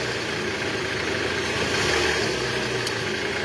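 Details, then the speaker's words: 2012 Toyota Alphard ANH20, 2AZ engine, after replacing broken balancer shaft whose gear fragments reached the oil strainer, heard from the side with stethoscope: smooth, even idle hum, no rough knock or gear rattle; bottom end healthy. "Oke normal enggak kasar Memang dari awal pun pas kita cek ke sini tuh udah enggak ada bunyi kasarnya Guys"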